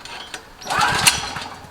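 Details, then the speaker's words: Generac GP5500 recoil-start generator, several years old, sitting a few months, fresh 89 octane with Stabil 360, new Diamond Fire plug, choke on. One pull turns it over with a brief rasping burst, no catch; chronic hard starting, cause unconfirmed. "it's no reason any part equipment engine there's no reason for it to be that difficult to start"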